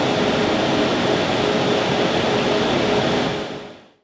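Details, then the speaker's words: New server with stock small high-flow fans, measured 65–66 dB in the server room versus 48 dB ambient, before Noctua NF-A12x25 fan swap: steady loud rushing whoosh with faint constant tone; loud stock cooling fans. "it's super loud and crazy annoying 65 to 66 decibels definitely a lot higher than I want to deal with in my server room"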